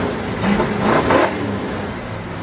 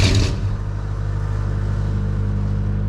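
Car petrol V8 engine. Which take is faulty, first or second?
second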